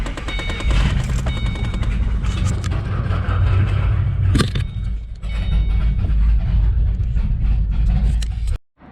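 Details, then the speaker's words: 2008 Ford Mustang GT V8 idling with an uneven, stumbling thump and irregular dropouts, a passenger-side misfire; plugs and injectors did not fully fix it, the cause was a cracked cold air intake sucking in air (PCV). "so i know you guys heard that that did not sound good at all i do not like that sound at all"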